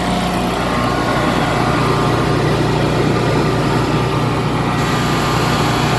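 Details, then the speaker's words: Generac 22K Guardian air-cooled propane standby generator after the faulty LP regulator, blamed for 1501 RPM sense loss stalls, was dealt with: steady, even drone, no surging or stumbling; normal running. "Boom, running, obviously good."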